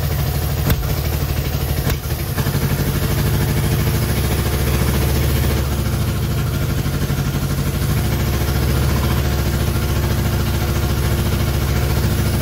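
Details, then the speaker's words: Long-stored Innocenti S Spyder fed from a jug because the fuel tank and line are clogged, started with choke held and starter fluid: loud, lumpy low idle with an uneven chuffing beat and some clatter; it runs but roughly. "final we have an engine that we can just start up obviously it could be running a lot better than it is right now"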